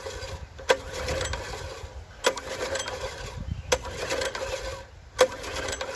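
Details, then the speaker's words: Seized junkyard Briggs & Stratton tiller engine (owner thinks 5 hp), spun over by hand with the valves not opening. Slow, even turnover with a sharp click about every 1.5 s and no compression resistance. A stuck valve is found while the camshaft still turns. "Okay, so we just got a stuck valve. I can work with that. So the camshaft's still spinning over, it's just you got a stuck valve."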